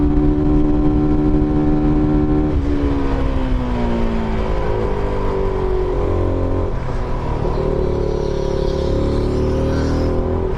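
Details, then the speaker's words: SBM250s motorcycle, on the move: smooth, deep, muffled exhaust rising and falling cleanly with each gear change; normal exhaust note while riding. "O sonzinho dela é muito bom, cara. Ainda mais quando você deixa ela aí, sem trocar a marcha. Então é muito gostoso o sonzinho dela."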